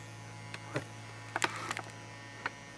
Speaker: hello this is Hornby's new Oh 72 to 9 controller I found that it makes the locos a bit more noisy